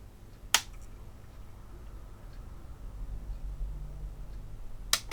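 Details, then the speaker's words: Behringer Europower PMX1000 mixer with a repaired shorted diode and blown resistor, power flicked on: sharp click, a few seconds of faint fan hum, then another click as it cuts out; the unit powers on then shuts itself down, cause unknown. "and it is shutting down again not quite sure what is going on there then"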